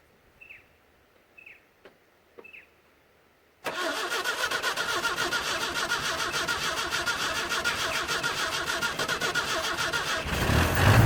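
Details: 1963 Nissan Junior ute last driven 15 years ago, first start with leaking carburettor; a few clicks then fires into an uneven lumpy idle that won't hold, seemingly starved of fuel at idle, runs better on choke.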